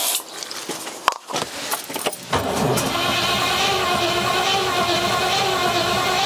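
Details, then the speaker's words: Rover P6 with 4.6 V8, long-awaited first start attempt, new battery, easy start spray used: steady cranking whir with only a couple of faint coughs, never catches — crank no start, cause unknown. "okay not much is happening yet let's give a good blast of easy start"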